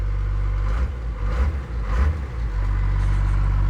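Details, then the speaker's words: Newly rebuilt Cummins-swapped Ford truck (the "Fummins"), recorded inside the cab with the window closed: diesel idles low and even with a muffled steady thrum and a brief stir midway; much quieter in the cab, normal idle. "she's a lot quieter here I'll show you the cab A lot quieter in the cab like significantly close the window so much quieter in here"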